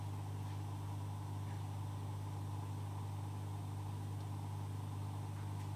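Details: Oase Biomaster Thermo 350 aquarium canister filter after maintenance and priming with the large button, once the priming noise has passed: quiet, even low hum with no clicking or gurgling; running normally.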